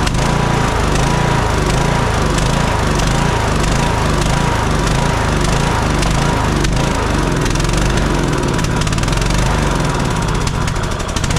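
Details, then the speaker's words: Kohler Courage 19 on a Troy-Bilt Bronco 42-inch riding mower, after an aftermarket carburetor install, surges unevenly and dies with choke fully off; suspected bad fuel, fuel supply, air leak or poor carburetor, not confirmed. "something is going on with this with the air fuel mixture causing it to run like this it's either bad fuel it's a bad fuel supply it's got an air leak or that aftermarket carburetor just wasn't a good quality"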